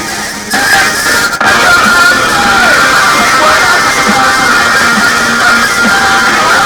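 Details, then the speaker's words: PC subwoofer speaker system after replacing a bad 3300 µF power-supply capacitor that caused hum: guitar music plays clearly through both left and right speakers with no hum, crackle or hiss. "The right and the left speaker is working good. And we don't have noise on sound."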